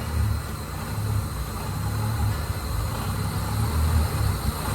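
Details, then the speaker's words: 2002 Mitsubishi Lancer OZ Rally after fuel filter, MAF, TPS and IACV replacement, idle screw closed down; spec believed ~850 rpm: steady, even low rumble, idle apparently set on the low side; felt better slightly higher. Low idle. "yeah because it needs to be like 8 50ish 850 yeah that that's pretty much what it needs to be at it almost felt better when it was higher up a little higher"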